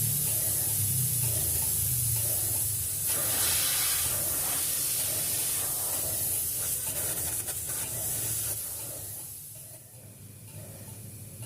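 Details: 3-door refrigerator not cooling enough: a strong, steady gas hiss fading over several seconds as the refrigerant is emptied from the system before leak-searching.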